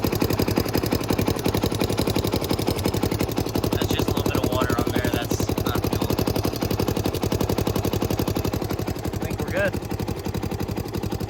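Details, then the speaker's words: 1991 Honda TRX250X single-cylinder ATV after a fuel-leak repair (leak suspected at the petcock), no leaks seen: a quick, even single-cylinder putter around three beats a second, holding steady with no misfires, normal running. "Um, I think we got her fixed. I don't see any leaks. Uh, she rips pretty good."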